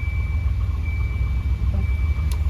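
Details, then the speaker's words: Volvo 240/244 idling after a climate control vacuum actuator was plugged back in, with HVAC modes switched back and forth: steady even idle with two sharp control clicks and no hissing, so the behind-dash vacuum leak is fixed. "Not even leaking a drop of vacuum."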